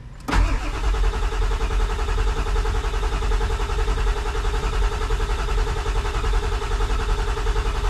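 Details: Ford 7.3 diesel truck, warm glow plugs cycled: starter spins the engine at an even, steady crank with no firing; injection control pressure only reaching about 300 psi, bubbles in HPOP reservoir oil, possible air in line, cranking no-start.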